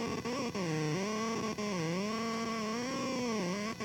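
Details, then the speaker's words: CAD computer video card interference picked up by a vacuum tube amplifier: clunking when zooming, high singing whine with stacked tones bending in pitch when rotating the model; later traced to motherboard power/ground plane noise, gone when audio out unplugged. "So I think they're actually picking up noise, like RF noise from the video card itself. So if we check out how I operate this CAD here, and if I zoom in and out, you hear like clunking sounds. But then when I rotate, it really starts to sing."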